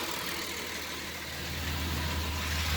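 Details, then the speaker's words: 2003 Dodge Grand Caravan 3.3L, 372,528 miles, with a hissing and chirping noise on acceleration: steady, quiet idle with the drive belt removed from the crank pulley, and the noise is gone. Idler, tensioner and power steering pump were already replaced; a new serpentine belt is planned. "as you can see with the belt the drive belt removed from the crank pulley the noise is gone"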